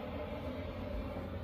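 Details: Chinese diesel heater in a box heating a tent trailer on a roughly 0 °C Alberta morning, 10 minutes in, fan wide open, full temperature bars: even, low steady rumble and airflow roar, no knocks or surging; normal running at full output.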